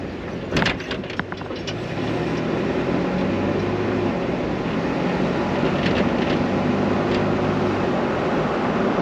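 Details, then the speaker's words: 2015 Toyota Tacoma pickup driving after fixing bed rattle by adding neoprene washers (two per bolt) and torquing bed bolts to spec: steady road and engine rumble with no repeated knocking from the bed. "So hopefully you guys were able to see in that video that did solve the problem. It's no more knocking anymore, so we'll see how it holds up, but that's supposed to help the problem."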